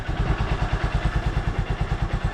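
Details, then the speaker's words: Honda Supremo after a roughly 90° clockwise adjuster turn to cure morning hard starting: started without choke or push starter, it idles at an even putter of about nine beats a second, with no misses or clatter. "umaandar siya kahit hindi natin ginagamit itong ch at yung push starter kita niyo naman kung gaano kondisyon itong si Raptor itong alaga ko mga kabarkada"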